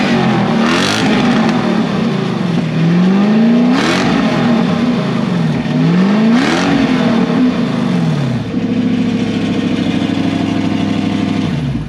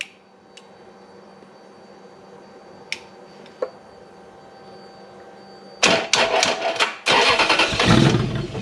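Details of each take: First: Toyota 3UZ-FE V8 first run on the reflashed ECU a dealer had bricked, fuel pump in a bucket: smooth, even revs climb and fall cleanly through three blips, then settle and shut off; healthy, no knocks or misses. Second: Toyota V8 3UZ-FE with an immobilizer code after a dealer bricked the ECU: quiet clicks, then the engine fires with a few ragged bursts and quickly cuts out, as the immobilizer shuts it down.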